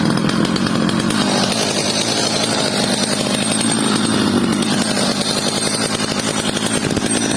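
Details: Stihl 230 chainsaw after repair with a new bar and chain: strong, steady high revs with clean throttle response while cutting, no stumbling or rattle. Normal running.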